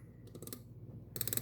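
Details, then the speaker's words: Dayton 3/8" ratchet reassembled and lubricated after teardown: two short runs of quick, even, crisp pawl clicks; ratchet engaging normally. "So we can hear it's got a little bit of lube on there now."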